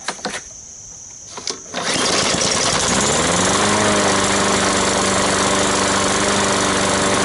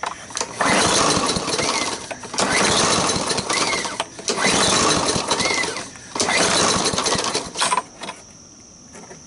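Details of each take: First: Sears pull-start lawn mower bought used, after draining water from the fuel tank and reassembling the carburetor: a few pulls, then catches and climbs to a steady even drone; running healthy. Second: Sears lawn mower with water in the gas, primer not drawing fuel: starts only on starting fluid, runs ragged and surging for seconds then dies; fuel starvation, carburetor problem suspected.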